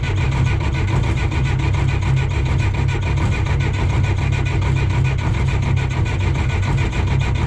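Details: John Deere 1010 crawler dozer diesel, unused about 12 years: steady starter churn with slow even compression beats, never fires; no fuel reaching injector lines, injection pump suspected to need rebuild.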